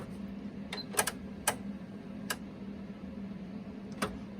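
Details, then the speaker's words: Panasonic RX-DT501 boombox cassette deck 2 after belt replacement, won't play: quiet motor hum with sharp, irregular solenoid clicks. The drive belt was installed incorrectly; a stretched belt was first suspected. "by the way, that's the sound of the uh of the uh solenoid."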